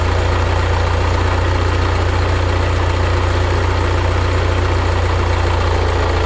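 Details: 1975 Case 680CK diesel backhoe, first start after long storage, after changing water-contaminated oil, adding coolant and hydraulic oil and new batteries: steady, even low diesel rumble at idle with no stumbling or misses; running normally.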